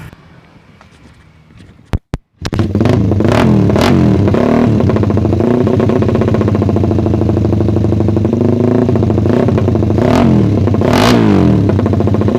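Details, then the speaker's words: Suzuki Satria FU single after ignition timing was advanced slightly via the pulser: starts and revs in repeated blips but flattens near the top. Still holding back at high rpm; more tuning is needed. "Ini tes suara Satria FU setelah geser pengapian diffuser ya jadi kayak gitu masih ternyata masih agak nahan jadi harus setting-setting lagi"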